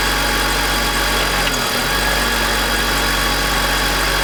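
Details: BMW E46 M52TU B25 engine, VANOS connected: constant raspy grind over idle with a brief RPM drop; grinding absent with VANOS disconnected, VANOS suspected.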